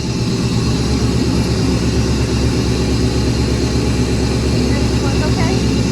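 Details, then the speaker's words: Restoration car just after its first start: a deep, loud, even V8 burble at steady idle through an exhaust setup identical to the owner's other car but sounding different; settled and smooth, a healthy idle. "yeah i'm excited that it sounds so good i know me too"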